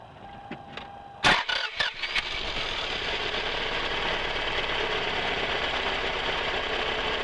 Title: '97 RAV4 rough idle gets worse when running with lights or heater